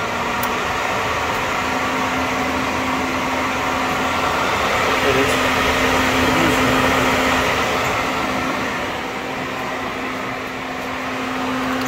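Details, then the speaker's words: 2007 Ford Explorer with an electric fan from another car fitted in place of a failing clutch fan that overheated in traffic; steady whirring hum, only one fan running (both run with AC on); normal electric fan operation. "it don't look like much of a fan that's only one of them if you turn the AC on you got both fans"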